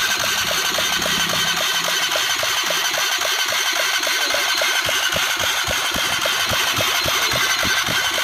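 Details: Honda CBR 150 single, engine previously fully seized, now reassembled with timing set: idles steadily with crisp even ticks near four a second over a bright hiss, no knock or rattle; normal idle.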